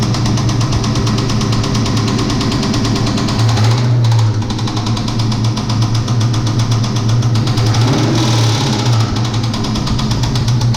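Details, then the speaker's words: Mustang V8 first started after two years idles with a hard, rapid metallic knock every crank turn; valve train looked fine under the valve cover, but metal flakes in the oil confirm a rod knock, a bottom-end issue. "well yeah that's definitely right knock pull the valve cover off everything looks good and there's a bunch of metal flake in the oil so definitely got a bottom in issue"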